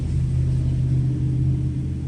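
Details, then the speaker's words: 2008 Dodge Caravan 3.3L with code P0303, shaking intermittently despite new spark plugs, coil and EGR valve: deep idle rumble with an uneven, lumpy pulse and vibration on a light rev; cylinder 3 misfiring. "y ahí se siente más la un poquito de vibración y empezó el conteo y estaba subiendo aquí ok ya y confirmamos que la camiseta se está temblando y ésta tiene mis fans en el número 3"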